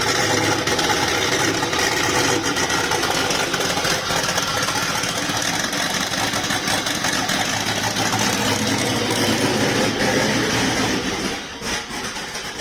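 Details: Volvo 240GLE with LS2 V8 swap, turbo project, first start after wiring fuel pump relays, cold day: loud steady idle with fairly even, slightly lumpy beat, no knocks; runs okay, tune needs work, fueling unknown.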